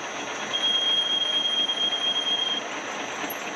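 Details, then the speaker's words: 1911 Hendey cone-head 6x16 lathe machining a new water pump bushing for a 1914 Studebaker SC-4: thin, steady high squeal rises over the cutting noise for about two seconds. Tool loading up from a too-deep cut. "you can hear it start to load up i was probably a little bit too far in but since we still have to bore it'll still work out"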